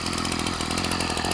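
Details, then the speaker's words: Ryobi 740R two-stroke trimmer after winter storage, new carb, primer bulb, mostly new fuel lines, no leaks: even buzzy idle with fast steady pulse, no misses or rattles; running clean. "It's got a brand new carb on it, brand new primer bulb, almost all new fuel lines. No leaks. You can hear how good it runs."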